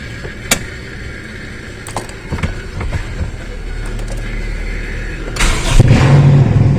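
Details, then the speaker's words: Toyota Corolla Big Body GLi with high RPM and poor running, check engine light on: after a few bumps it cranks, catches and runs high and uneven; vacuum (MAP) sensor found disconnected, which governs injector fuel supply. "Itong vacuum sensor niya hindi nakakabit. Kakaroon talaga ng malaking epekto sa andar yan."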